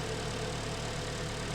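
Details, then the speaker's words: 2012 Hyundai ix35, G4KD engine, front-wheel drive, ~134,000 km, after engine rebuild for knocking and scoring (oil cooling jets added), flushing oil in, warming up: steady, even idle with smooth low hum, no knocking or ticking; runs well. "ну что друг новая жизнь при ста тридцати четырех тысячах работает хорошо"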